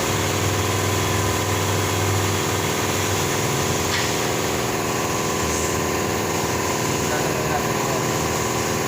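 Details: Nissan Navara diesel with manual transmission idling: uneven soft knock about four per second under the clatter, toward the clutch and bellhousing; knock suspected in clutch/transmission area, transmission pulled and LuK dual-mass flywheel, pressure plate, clutch disc and release bearing replaced.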